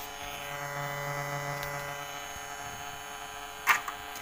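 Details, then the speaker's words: Polytron compo stereo with added Bluetooth module, powered without a stabilizer: steady low buzzing hum with overtones, loud even at low volume and louder in Bluetooth mode; mains hum from the module's supply. "posisi Diau kalaupun ini volume saya kecil noisenya udah terdengar keras kalau kita pindah ke posisi bluetooth oke suaranya untuk noise tambah kenceng"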